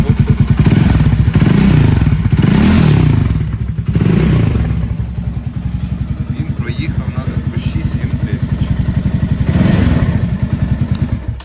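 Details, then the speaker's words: Loncin LX300GS (GP300) single-cylinder, ~6,900 km, reassembled after removing the knocking decompressor mechanism: steady even low thump at idle with no tapping or clatter; running normally. "Ось цей ланцінчик стоїть, зараз я заведу, покажу, як він має робити нормально."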